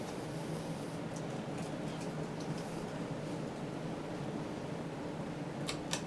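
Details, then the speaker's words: 1997 Hunter Original 52-inch ceiling fan model 23855, 3-speed reversible, running on high: soft steady hum, even airflow, no knocks, ticks or rubbing; slight wobble blamed on possibly warped blades, otherwise very smooth running. "It's got a bit of wobble to it, but I think these blades are kind of warped a little bit. But otherwise, it's a very smooth running fan."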